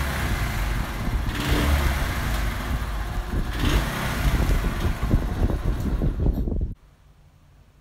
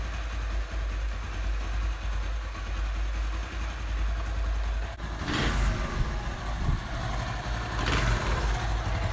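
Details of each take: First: Honda CD 70 before carburettor cleaning: small single revs cleanly, but on closing the throttle the beat turns ragged and uneven and dies out; misfire and stalling at idle, suspected carburettor fault, unconfirmed. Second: Honda CD 70 idling after carburetor cleaning for a missing, stalling idle: low, even single-cylinder thump holding steady without stalling or missing, a couple of short noises over the top; healthy idle.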